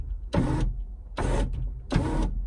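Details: Power window motor on a 1980s Ferrari 308, passenger side: three short, even motor whirs, each about a third of a second, with no grinding or stalling; the window motor runs normally.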